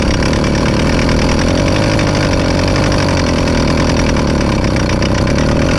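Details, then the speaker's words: Zeda 80 (Triple 40) motorized-bike two-stroke right after rebuild: rough, raspy idle with constant harsh metallic grinding, louder than before the rebuild; owner suspects the clutch assembly, not confirmed. "well she sounds like garbage hmm let's take the head off so the terrible grinding sound you were hearing once the motor started was the exact reason we rebuilt this motor in the first place"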